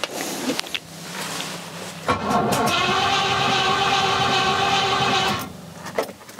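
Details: Rover P6 with a 4.6 V8, after the timing was set, with fuel pressure and spark present. It cranks about three seconds with a quick cough but does not start. Still a non-start; the choke was later found to be disconnected.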